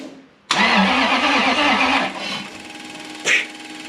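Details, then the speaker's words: Supercharged Toyota 1UZ-FE V8 swapped Hilux ute: starter churns about two seconds and spins down without firing; crank no start because the timing setting was changed wrong (should be 355) and fuel pump not running while cranking. "what's your timing setting did you change your timing settings oh no no that won't go that's why it won't go"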